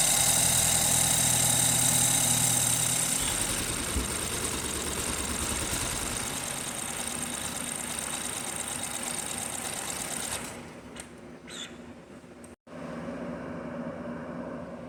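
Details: 2012 BMW 528 with N20 four-cylinder, towed in running rough; injector and fuel-pressure waveforms captured while running until it misfires: a regular uneven stumble, about three a second, then dropping off. Misfire traced to faulty injectors.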